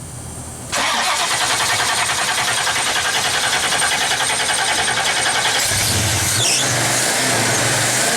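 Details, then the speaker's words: 1970 Pontiac LeMans with a 455 Pontiac V8, after a failed fuel pump whose diaphragm leaked fuel, after 2100+ miles: the starter churns steadily at about three and a half turns per second but the engine never fires; flooding is suspected. "now the question is why won't it start did you just flood it"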